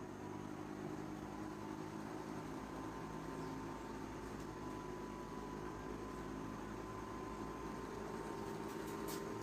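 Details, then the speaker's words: 140 W electric fan with a bad 2 µF run capacitor: steady low motor hum, faint even whine, no speed build-up; the motor runs sluggishly because of the weak capacitor. "Ele está com um capacitor ruim, viu? Tá com capacitor ruim, por isso que eu estou pegando ele."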